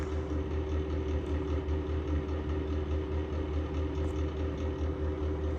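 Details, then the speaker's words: Exhaust fan running with a steady heavy rumbling hum throbbing about twice a second, worsening from bad bearings; sounds about to die and will be replaced. "exhaust fan to your left. That thing sounds like it's about to die."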